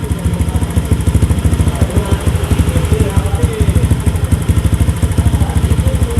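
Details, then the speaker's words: Honda Beat FI injected scooter after TP sensor and ISC adjustment: engine holds an even quick beat around 1,500 rpm without hesitation or stumble; previous throttle hesitation gone, throttle now responsive. "Nah, sekarang mari kita uji, teman-teman, apakah masih tersendat atau tidak. Ah, sudah berhenti."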